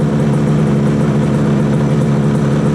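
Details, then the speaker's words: 1968 Yamaha YAS1C 125 two-stroke twin after timing check and carb synchronizing, warming up (about 104 and 124 on each side): fast even idle, both cylinders firing, some rattling; response much better, healthy. "I got a lot of stuff rattling here. Satisfied that'll calm down after I take it out and ride it. I think this is sounding a lot better. The response is so much better."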